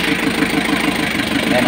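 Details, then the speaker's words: Kia KC2700 diesel, freshly overhauled with new liners, bearings and piston rings, started on a fourth battery: idle with regular pulsing beat about six to seven a second and an uneven breathing note; misfire at idle, cause unconfirmed. "Umandar siya. Nag- one click siya. Kaya lang meron siyang palya. Ayan oh. Maririnig niyo meron siyang inik."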